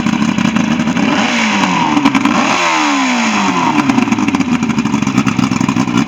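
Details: Ebbtide boat engine, final running test after a no-start, 6/6/23: revs freely, pitch sweeping up and back down with light mechanical clatter; runs normally now.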